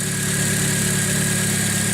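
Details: 2006 Chevy Aveo after its third alternator replacement, now charging where it read 11.6 V before: steady, even idle with a smooth low hum and a faint high whine from belt-driven accessories, the engine sounding healthy.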